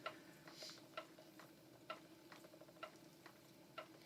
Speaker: And is the wheel noisy at all? Can you hear it? Because the footman is making a slight noise.